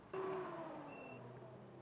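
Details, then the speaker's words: Ferrari-engined Alfa Romeo 105 build, ignition on: thin high beeps about once a second behind a fading hum, Raceworks gauges (oil pressure, oil level, fuel level, water temp) in alarm because sensors are unconnected and out of spec. "if you can hear that there's this beeping going on in the background and that is the raceworks gauges"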